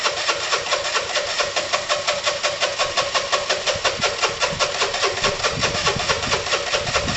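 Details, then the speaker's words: Dumped Piaggio Typhoon 125 scooter, first start attempt after only a spark plug change, took 20 minutes; uneven pulsing sputters that catch and fade, sounding fuel-starved, engine found very dry of oil; hard start, intermittent firing. "it's practically practically starving come on [Music] marry tom help me took 20 minutes to start"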